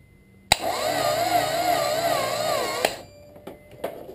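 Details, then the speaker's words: Acura Integra no-start: starter gives a high wavering whine for about two seconds with no cranking, spinning without turning the engine; battery charged, even 24V tried, fuel pump audible, distributor recently changed. "we're battery is charged and we're going to do it again same deal battery the stutter is just whining so tell me what you guys think"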